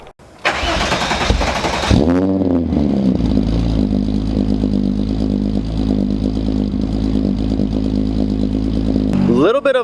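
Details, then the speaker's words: VW VR6 after sitting three days: a slightly slow crank catches cleanly and settles into an even, smooth idle with no stumbles; normal start and idle. "a slow start today but the cars been sitting for three days so I get his fine but she purrs nice"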